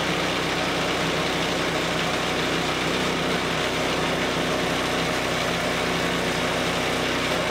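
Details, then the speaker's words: Greens iron roller engine after full teardown, cleaning and reassembly, belt tension increased and belt cover still off; steady, even drone with constant pitch, no knocks or surging, running decently. "Oh oh my gosh so having that belt just in the open air that is scary scary business folks it seemed to run decent"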